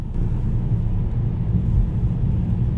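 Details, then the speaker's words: New Mercedes-Benz cabin in rush-hour traffic: a constant deep drone and rumble from road and traffic dominates. Passenger says insulation is poor and suspects the light doors hold little sound deadening; not confirmed. "这隔音不行啊哈哈哈哈我上门的时候就感觉到这车啊门太轻了估计里面隔音都没啥东西"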